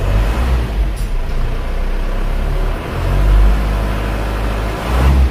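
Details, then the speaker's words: Isuzu Panther diesel just after an engine overhaul, original internals kept, first start after being slow to catch on a flat battery: steady, even low idle, very smooth with no knocks or misses, before being raised to 1000 rpm for warm-up. "mesinnya halus banget ya teman-teman"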